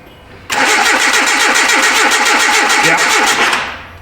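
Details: 2010 Hyundai Accent, no start after starter and front O2 sensor replacement, cranked from battery positive: steady starter cranking nearly four beats a second for three seconds, never catches; injector pulse present, one cylinder getting no spark, no gas smell.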